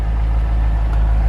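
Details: 2001 Chevrolet C5 Corvette just bought, with a check engine light on but said to run well and be very quiet: a deep, even V8 burble at idle with no misses, knocks or ticks, sounding healthy.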